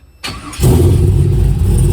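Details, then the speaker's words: 2001 Pontiac Firebird Trans Am with a newly built LQ4 408ci stroker V8, on a revised HP Tuners tune. Barely half a second of cranking, then it fires straight up into a deep, steady, lumpy idle: a clean, quick start. "it starts up it fires straight up because the first time i put that tune in you barely turn the key yeah it goes right on"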